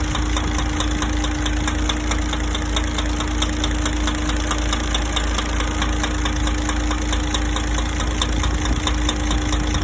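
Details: DAF 105 truck diesel at idle: steady idle with an uneven knock about 1.5 times per second riding on top; engine knock, cause not determined.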